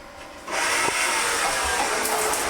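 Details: Aqualisa Powerstream 12-volt power shower pump after freeing a seized switch with WD40 and fitting new cartridge: pump kicks in abruptly with rough, rattling hiss while purging air; normal start.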